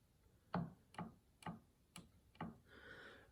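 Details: Yamaha G5 piano action removed and on a table, keys near 37: five sharp woody clicks about half a second apart as each key is released. Suspected jack regulation noise, not confirmed.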